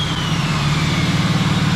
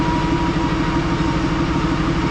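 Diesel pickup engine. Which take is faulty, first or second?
second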